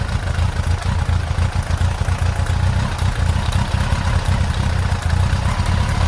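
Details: Yamaha XJ900S Diversion at idle during carburettor balancing, after the sync was overcorrected. It has a low, lumpy idle with an uneven pulse and slight stumble. Rough idle from carburettor imbalance.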